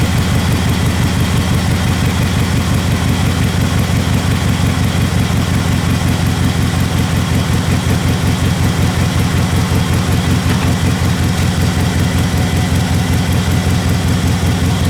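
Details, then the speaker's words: Subaru (Projet 22b) first start after cleaning wiring and intake and fixing battery connectors: lumpy uneven idle around 160 beats a minute, wavering; owner suspects a vacuum leak or idle air control valve. "Idle was rough Maybe there is a problem with the vacuum somewhere Or the idle air control valve, something like that"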